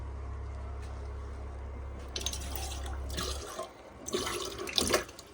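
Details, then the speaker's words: Boat freshwater pump running under the floor during a refit, turned on with the tap: a steady low hum under running water that cuts out, noticeably quieter than before; normal pump running. "Yeah, that water pump is, yeah, a lot quieter. I don't know if you can hear it just running under the floor there."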